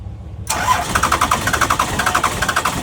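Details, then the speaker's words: First-gen Cummins diesel, sat 2.5–3 months in cold, injector lines cracked and bled while cranking: after a pause it catches and settles into a steady, even diesel knock; fuel system was air-locked, fuel leak suspected in a line. "all right oh yeah yeah she was air locked"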